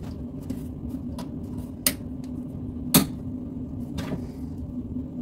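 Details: Bosch Maxx 6 washing machine after motor bearing replacement, drum bearings still good: a steady low rumble with sharp knocks at high spin speed; the drum itself is believed broken.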